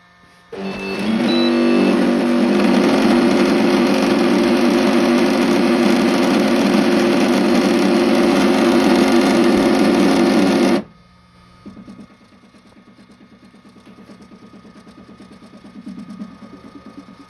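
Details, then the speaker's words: Flashforge Adventurer 3 printer extruder makes a loud, harsh grinding buzz about four pulses a second; the drive wheel spins but filament won't load or feed, even with rolls that fit. "Not feeding anymore. The wheel is spinning. It's not feeding."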